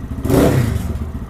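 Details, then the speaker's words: Lifan KPM 200 motorcycle after throttle position sensor reset near 0.0%: single quick blip snaps up cleanly and falls back to a higher steady idle without stumbling; crisp throttle response, doesn't die. "now it sounds like the idle speed is up higher it's quick crisp throttle"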